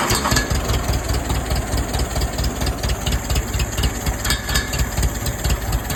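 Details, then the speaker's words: 1947 Case VAH loader tractor bought for $300, unknown how long since it last ran. Slow, loping four-cylinder idle, firing fairly steadily with no knocking; it sounds pretty good. "Sounds pretty good. Not bad for 300 bucks."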